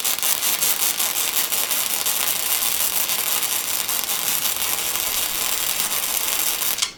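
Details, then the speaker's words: First MIG welding attempts: frying-bacon arc crackle with uneven pops and swells, erratic sputter. Welder suspects the tip was held too far from the material. "on this world you can kind of hear some of the fluctuation in the frying bacon sound where it kind of has some variation in it I think I was getting my tip too far away from my material"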